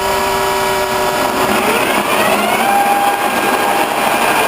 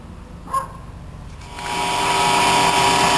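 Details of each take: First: Horizontal boring mill with straight-cut gears, spindle running while line boring John Deere planter lift arms inside a tent: steady high gear whine with tones sliding in pitch as the feed runs; normal, nothing wrong. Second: Horizontal boring mill starting up for line boring: a click then steady high electrical buzz with a whistling edge; motor runs and everything works, but the contactor is not fully making contact, causing the loud buzzing.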